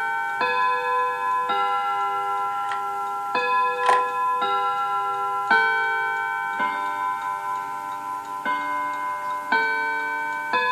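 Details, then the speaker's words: 1948 Seth Thomas Westminster chime tambour mantel clock: steady even ticking under clear ringing chime notes like Big Ben; chime train and escapement working normally. Normal chime and tick. "I love that Seth Thomas chime sounds like Big Ben doesn't"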